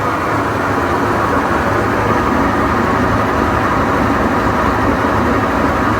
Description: Any idea what it can cause this loud noise?